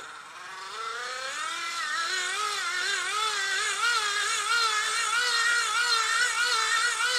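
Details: 30W hand crank generator strapped to foot, cranked by hand for maximum current test (about 2.7 A): whine near 400 Hz swelling and dipping about three times a second with each stroke, no grinding; working fine.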